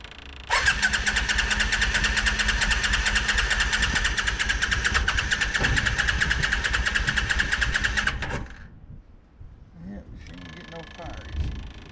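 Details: 1987 Yamaha Virago 535, long-sat auction bike: about eight seconds of steady starter churning, roughly two beats a second, never firing. It cranks but won't start; the owner suspects no spark from a bad CDI box.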